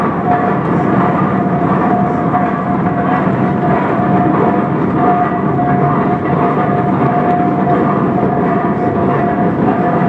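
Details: 1917 Minneapolis 40-80 tractor running for the first time after rebuild: steady, even running with a faint whistle on top, turning over cleanly with no knocks.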